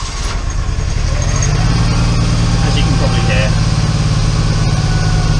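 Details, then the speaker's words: Smart City Cabriolet 450 Pulse, 0.6-litre 61hp petrol engine, rough stumbling idle with a misfire on cylinder 3; owner suspects a burnt exhaust valve, compression test pending. "it's running pretty poorly. It's got a misfire on cylinder 3, and if I need to do a compression test, but if my suspicions are correct, it has the burnt valve issue which is associated with this 0.6 litre engine."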